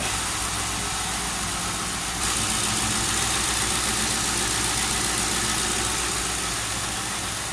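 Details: Town Car with air suspension, first cold start in almost two years, replacement alternator fitted, recorded close to the engine: steady, even idle with a smooth exhaust rumble and no knocks or misses. Normal idle.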